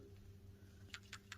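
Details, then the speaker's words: Old PCV valve removed from an Infiniti M45 VK45DE and shaken by hand, oil on top: quick light ticks in a loose, free rattle, so it is not stuck and sounds better than the other valve; replaced anyway. "This one actually sounds a lot better. Like you can kind of hear it a little bit, but I'm still gonna replace both of them just in case."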